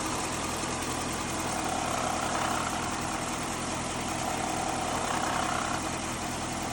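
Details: 5.7 L Hemi V8 at idle with a light rattle about three a second from the front of the engine: failing water pump.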